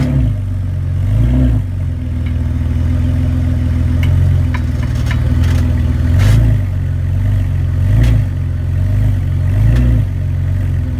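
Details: BMW E46 328i with engine running: hard clunk every couple of seconds from the rear differential, caused by a cracked rear differential bushing needing replacement.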